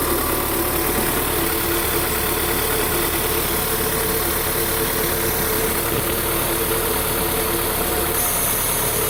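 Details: VW Golf 6 TSI idling during warm-up with the hood open, engine visibly shaking and vibration felt through the car for about 30 seconds: a steady idle with a hard, uneven shake and no clean rhythm; owner suspects a misfire.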